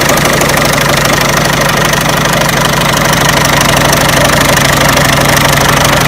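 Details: Peugeot 307 1.6 90 hp engine at idle: loud steady idle with crisp regular knock roughly three times a second; owner asks where the engine knock comes from, source unknown.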